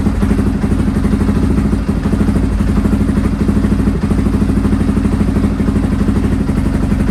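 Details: Restored Honda XR650R single idling on its first run after years unused, started cold by heating the inlet manifold; valves adjusted, carb rebuilt. Steady thump with light top-end clatter, quiet for a thumper: healthy; tiny oil and water leaks.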